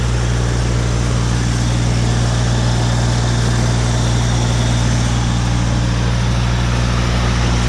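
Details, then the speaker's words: Woods 6215 mower after spindle bearing, U-joint and belt repair, running with a steady, even drone and low hum, no knocks, rattles or bearing growl; sounds good and fixed. "sounds good that [ __ ] cover well that's all we got to show for this episode folks this woods mower is fixed"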